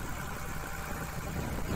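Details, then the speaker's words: Komatsu PC200-6 excavator diesel with black smoke and low power: uneven, harsh idle with irregular lumpy beat; injector number 3 sounds rough and was found leaking, causing a misfire. "Nah di pistol nomor 3 nih suaranya curang banget sama dengan sedikit kasar nangis karena nyatanya bocor teman-temannya"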